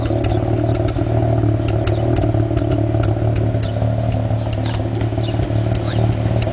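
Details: 1991 Mazda RX-7 NA (S5) street-ported rotary with headers and possibly Racing Beat cat-back, lumpy idle with irregular sharp exhaust pops several per second (afterburn); owner doesn't think it's a vacuum leak, cause not found.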